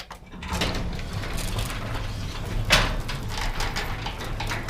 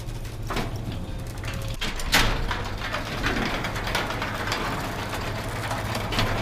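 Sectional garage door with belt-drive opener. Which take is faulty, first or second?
first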